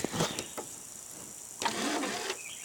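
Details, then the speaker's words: VCR after repeated drop tests, eject not working: a few quiet clicks then a brief soft motor whirr as the tape mechanism spins up on power-on, normal power-on mechanism sound. "but it turned it powers on very very surprisingly I mean you can hear it go on"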